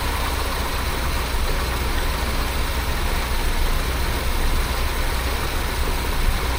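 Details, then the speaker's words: 1976 BMW 2002 (E10) M10 engine idling about 700–800 rpm after fitting a new Weber-style carburetor and swapping in a newer coil: steady, even, smooth low rumble with no misses, much smoother than with the old carb; normal idle. "Well, it idles an awful lot smoother than the other one. This end here is pretty quiet."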